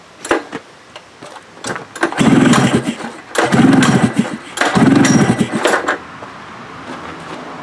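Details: Tera jet engine, some fuel poured in, choke use uncertain: three hard pull-start pulls, each a short rattling whirr fading out without catching; cranks but won't fire, cause unknown.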